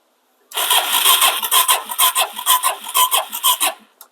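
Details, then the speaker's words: 2017 Suzuki DR-Z400S, stored with fuel left in carburetor: starter cranks in uneven pulses, about two per second, never firing; crank no start, fuel-starved, float valve suspected stuck closed or float bowl drain blocked. "most likely either the the float valve is stuck closed because it's all gummed up or that drain is at the bottom of the float bowl completely blocked up as well or both or a combination of a number of things but this thing is just not going to fire"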